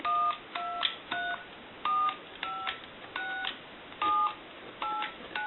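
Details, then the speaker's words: Single-slot payphone on a line analyzer after its receiver capsule was replaced, dialing 2, 6, 2 and then each keypad key; clean two-tone beeps of about a quarter second each with short gaps, every key crisp and even. "And if you watch the keypad, I will go ahead and dial some numbers, but the analyzer will show our numbers that we're dialing."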